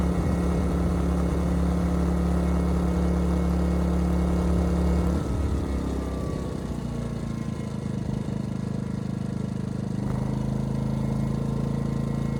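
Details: Ryobi RYI2300 inverter generator, 15 months old, after fix: stalling under heavy load solved by turning the easy-start knob further. Drone drops in pitch as load comes on, hunts briefly, then settles into an even run; healthy under load.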